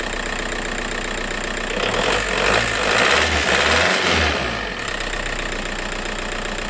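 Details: VW Golf 4 TDI diesel after fixing a shaking, juddering idle traced to the injector harness: settles into an even, steady idle after a brief rougher patch; normal idle after repair.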